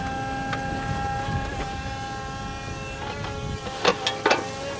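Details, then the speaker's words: JCB 19C-1E all-electric 1.9-tonne mini excavator digging: a steady layered electric whine is the only operating sound besides a few sharp bucket clanks; normal operation. "Instead, it's just you can hear the electric whine behind me that is the only sound associated with this machine outside of the actual bucket clanking."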